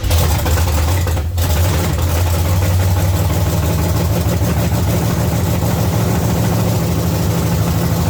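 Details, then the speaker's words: 1970 Chevy C10 small block V8 idling: deep, lumpy, low beat wavering as if about to stall; idle speed too low, owner plans less ignition timing and more idle; transmission may have been in gear. "foreign needs a little more idle hopefully bring a little less timing a little more idle I think it'll sit there and run"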